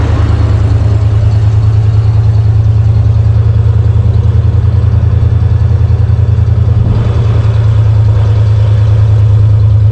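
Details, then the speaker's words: 1991 Ford Bronco (351W) after Bar's Leaks head gasket sealer; antifreeze smoke and smell in exhaust gone, coolant slightly low: deep, steady V8 idle with even low pulse, no misses or knocks; engine running healthy. "Sterling said it ran okay, had power, didn't seem to be good. All the exhaust smoke went away"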